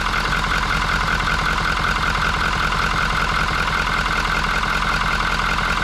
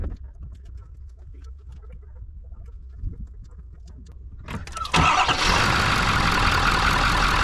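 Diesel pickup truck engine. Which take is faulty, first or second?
second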